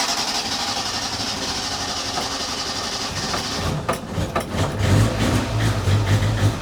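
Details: A112 Abarth started after long storage, fed from a boat fuel tank with the mechanical pump disconnected: long hissy crank, then it catches with a few sharp pops and settles into a rough, uneven low run through a loosely fitted exhaust.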